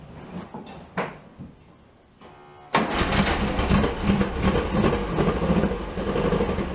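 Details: 1967 VW Bug, big-bore 2387cc, ~15°F, after distributor cap replaced for weak spark: short starter whirr, catches and runs rough and uneven; both carbs spraying, owner guesses flooded with too much gas.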